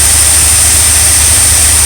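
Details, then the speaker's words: RV V8 idling after new ignition module, ballast resistor and a working choke pull-off, formerly stalling when stopped: steady even low rumble, no stumbles or skipped beats; owners say they've never heard it run this well. "Working fine now. Never ran that good. That thing can fucking run all of it. I've never heard it run like this."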